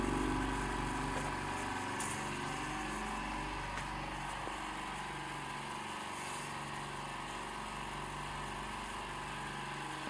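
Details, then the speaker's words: D KIEI 50-litre "silent" air compressor filling its tank: steady even hum with a soft quick regular pulse, no knocks or rattles; owner calls it fairly quiet. Normal running. "So I don't know how that's coming across on camera, but that's, you know, that's fairly quiet for me."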